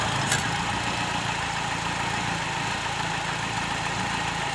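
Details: Car AC belt after fixing a belt that slipped and squealed, weakening AC performance. AC switched on and off repeatedly; smooth steady idle with a faint even hum and no belt squeal: normal idle.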